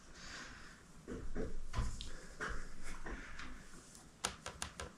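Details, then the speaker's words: Hampton Bay St. Claire ceiling fan running: irregular dry creaks and rubbing knocks ending in a run of sharp clicks; the noise came from the blades and mostly the ceiling medallion. "I can hear it creaking as I'm doing the wiring that's unfortunate"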